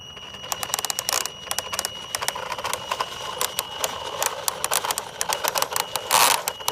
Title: Axial Yeti Grinding Sound